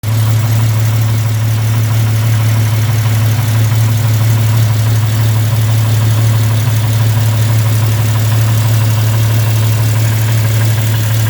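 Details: Jeep idling with a deep steady rumble and a quick ticking from an exhaust leak at a cracked exhaust manifold, later welded and fixed.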